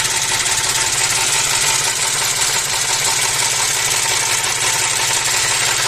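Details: Audi A4 V6 with oil pressure warning flickering, worse when revved; rough uneven idle with rapid irregular knocking under a loud hiss; suspected oil pump; engine knock with low oil pressure.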